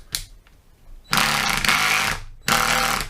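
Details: Milwaukee M18 FID Fuel gen 3 impact driver, which arrived with damage on its top. Two loud, harsh bursts of rapid hammering with a rattly buzz on top. Owner calls this sound strange; the impact mechanism sounds off and the cause is unclear.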